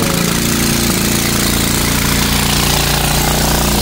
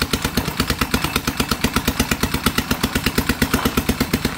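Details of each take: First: Dongfang four-seat go-kart engine running, before repair: harsh, very loud rapid crackle and rasp over the engine beat from an exhaust leak; loose exhaust nuts found and then tightened with an impact driver. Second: Dongfang 4-seat go-kart small engine after carburetor replacement and tuning, and after tightening loose exhaust nuts. An even, quick putter for about fifteen seconds before shutoff, with a quiet exhaust note and no rasp or leak; normal idle.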